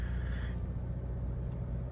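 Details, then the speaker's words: Subaru engine right after a cold start: deep rapid pulsing knock ("gungungung") under a heavy low rumble; engine knock. "Just as soon as it started. Sounded like gungungungunung. Engine knock."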